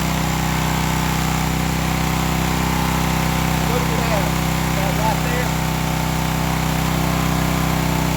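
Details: Old Craftsman pressure washer with pump on, water supply connected: steady, even engine drone at constant speed under pump load, no misses, knocks or surging; pump confirmed working, repair good.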